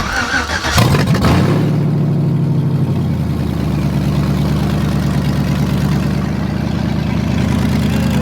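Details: 1987 S10 with LS swap and open headers, first start after sitting six months, previously idled too high: cranks, flares up loud, then settles quickly to a steady, even rumble at about 900 rpm; healthy idle.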